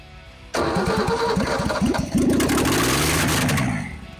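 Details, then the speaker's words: Ford XP Falcon, first start after about 35 years sitting, run without exhaust manifold: cranks, catches with uneven stumbling firing, revs and dies after a backfire; ignition timing still slightly out. "No, timer's still a bit out because I popped the backfire there."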